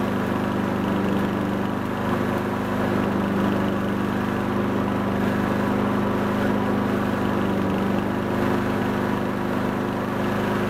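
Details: Honda Harmony 215 mower engine, warm, after a third carb cleaning; the low-end idle mixture screw broke and could not be cleaned. Steady single-cylinder drone at even speed with no misses or surging; normal running.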